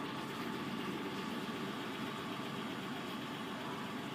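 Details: Chevrolet Spark with crank-no-start complaint and camshaft position sensor code P0342: quiet, constant hum with no surging, misfires or knocks while running; holds a smooth, stable idle.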